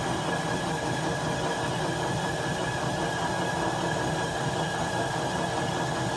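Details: 1967 Logan model 1875 lathe on a static single-to-three-phase converter, first start testing: steady even motor hum with smooth mechanical whir, no knocks or grinding, running fine with the auto-feed engaged.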